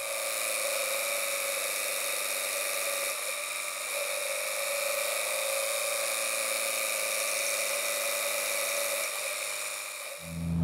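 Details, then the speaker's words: Tuned car in third gear, held at about 3000–3500 rpm under load with left-foot braking, ignition timing pulled four degrees as a safe baseline, heard through audio knock detection: steady high whine and hiss, no pinging or ticking. Knock-free running. "so I'm in third gear I'm going to use my left foot on the brake in order to hold me in the RPM range as I load it up"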